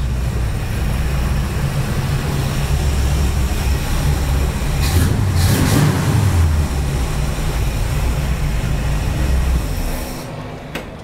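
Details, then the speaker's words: 1954 International Metro first start after build, 50 series Flowmaster mufflers with cutouts: deep, steady low rumble, smooth burbling beat, no ticking or puffing; exhaust runs clean with no leaks. "i'm pretty happy i did not expect it to run that quick that easy it sounds good too sounds really good we went with those 50 series flowmaster"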